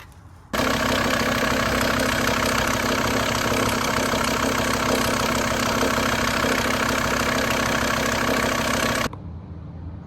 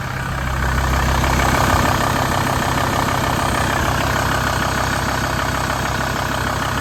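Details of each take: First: VW T4 van after a belt and parts change: it still idles with a harsh, clattery rattle and knocking, "like a bag of nails". Owner suspects a worn engine mount and crank pulley rubber; unconfirmed. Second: VW T4 after replacing the engine mount, crank pulley and auxiliary belt to fix an auxiliary belt noise: steady, even idle with no squeal or chirp, belt noise fixed, normal idle.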